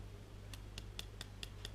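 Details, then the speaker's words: Restored speedometer clock movement, rusted parts repainted: crisp hard ticks about four to five a second, sounding rough rather than smooth, so the clock mechanism is running rough and binding. "i hope you can hear that it's fairly rough hard"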